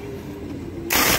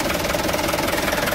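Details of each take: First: Mitsubishi Canter truck starter motor cranking: steady whirring hum, then harsh grinding Second: Mitsubishi Canter truck after the starter motor was removed and refitted because of a damaged starter bendix gear: diesel ticking over with an even, steady clatter, no grinding or catching; normal smooth idle.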